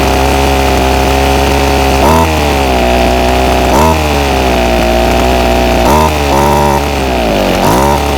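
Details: Ryobi SS30 30cc two-stroke weed trimmer runs badly, bogging and stumbling whenever throttle is given instead of climbing cleanly; before carburetor low-jet adjustment via plastic limiter knobs, which later cured the bogging and stalling.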